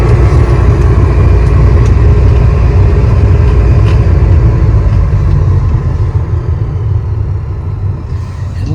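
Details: 2006 GMC Yukon Denali XL 1500 heater blower motor clogged with debris (grass, lint, wipes, leaves): loud, steady low roar from the fan, far rougher than a healthy blower; motor itself possibly bad.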